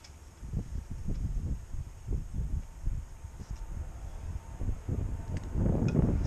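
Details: Etesia Pro 46 lawnmower that had been sitting a while and wouldn't run: rapid uneven chuffing from the pull cord, about three per second, with no firing. Spark was confirmed afterwards, so the carb is to be cleaned; cause suspected, not confirmed.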